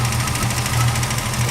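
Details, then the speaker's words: Dually diesel idling with newly installed AC compressor on, system charged with duster, gauges 45 and 200, belt loose: rough low rattle pulsing under the engine note from the compressor area; owner suspects the loose belt. "compressor is making a little rag there sounds like that might just be the B and it's blowing"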